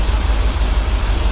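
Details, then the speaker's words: 1982 Chevrolet Corvette V8 with Crossfire fuel injection, cold idle: deep uneven thumping with irregularly dropped beats, missing badly on a cylinder or two. Owner expects it to run well once warmer. "is missing like crazy so I'm gonna shut the video off and they took the car off here in a second once it gets warmer it'll run really good"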